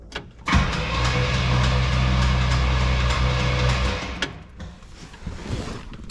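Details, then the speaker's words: 1967 Pontiac Grand Prix convertible, 400 cu in 350 hp V8, long-stored; first crank with fresh battery, cylinders filled, plugs not yet in: droning cranking with an odd note, possibly air escaping the cylinders, uncertain. "it could just be air coming out of the cylinders but maybe it's not"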